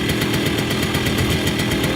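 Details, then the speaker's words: Moped two-stroke after about 30 seconds of warm-up, choke then turned off: fast, even putter that stays on without struggling or stuttering, a normal warm idle ready to ride. "you'll know it's ready if the engine stays on without struggling or stuttering it should sound something like"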